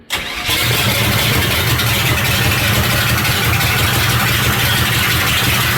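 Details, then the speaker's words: Big-block 454 boat engine in a tuff truck, first start after fixing a fuel pump power problem: short crank, catches right away and settles into steady, lumpy, even-firing idle; normal start. "But it's wonderful to hear it fire up, and I'm excited to, you know, get a drive line in it and get her closed up and potentially go vroom vroom with this thing."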